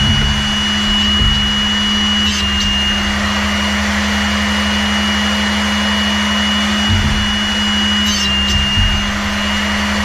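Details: Older used SRD drill sharpener grinding a non-split-point drill: steady motor whir with light scratching as the wheel touches the drill point; sharpener cutting normally.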